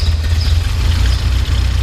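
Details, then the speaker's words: 1985 Alfa Romeo Spider Veloce after a cold start, restarted once after stalling on revving: steady, even low idle rumble with smooth firing and no misses, knocks or smoke; normal idle. "But runs really good, runs smooth, sounds good, doesn't blow smoke or anything like that."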